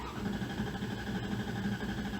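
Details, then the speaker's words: 2001 Dodge Dakota cranking on replacement correct battery, voltage dropping from about 12.2 to 11.1 V: starter spins engine briskly and evenly with steady compression pulses, no dragging; good battery, strong cranking. "This thing's cranking nice and strong, letting back off."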